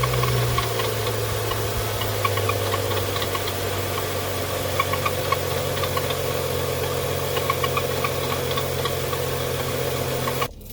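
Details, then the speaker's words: 2011 BMW 335i xDrive E90, N55 six-cylinder, idling before replacement of belts fitted about two years earlier that began squeaking when temperatures dropped; loud idle with busy chatter and rattle from worn accessory belts and tired tensioner and idler pulleys. "doesn't sound good right so i'm gonna get in there and change these belts now"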